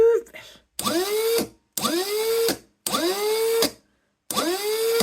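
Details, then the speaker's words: Rover gas turbine Rotax actuator motor after rebuild, powered from a battery, runs counterclockwise: four short runs, each click, whine rising to steady pitch, closing click; normal operation. "Yeah, so that's going counterclock as you look at it, and it's doing the right noise."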